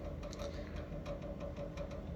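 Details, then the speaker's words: Electrolux GCB 11 Basic X Fi gas boiler: quiet steady low hum with thin whine on top and faint irregular ticking; noisy boiler diagnosed as failing circulation pump, to be replaced. "всем привет столкнулся вот с такой проблемой шумит котел"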